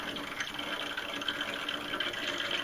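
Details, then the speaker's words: Hot water heating system bled at the return line into a bucket via a hose, boiler side closed, feed water slowly entering through the automatic reducing valve: sputtering, hissing water gush with irregular spurts as trapped air blows out of the loop. "If you want to increase the flow rate, you could open this up. You hear it turn on, and it's kind of catching up. But I go very slow with it. And you actually hear"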